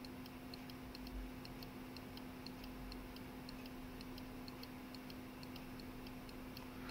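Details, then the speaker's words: Mercedes S320 throttle body after repair: light regular clicks about three a second from the throttle body switch, showing the switch works properly. "is a good sign so the switch is good"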